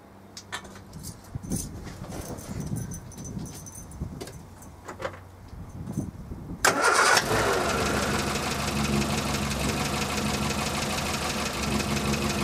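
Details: Morris Minor petrol engine just after fitting new ignition leads, distributor cap and rotor arm: quiet clicks and handling, then it catches and settles into a steady, even idle, warming up; runs fine now.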